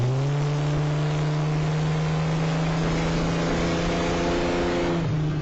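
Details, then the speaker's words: 1988 Ford Bronco II, totally cold after about 3 minutes running, accelerating from a stop to 35 mph; strong, steady pull with no stumble or misfire. Normal cold acceleration; owner says it bogs down once warmed up. "that's how it sounds when it's totally cold runs my opinion like a [ __ ] Champ"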